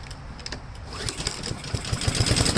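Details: Honda GCV160 after installing a second new carburetor, now with a choke pull-off added to stop sputtering, cold start: starter pulls, engine catches and settles into a quick, fairly steady putter building in level, no sputter or stumble.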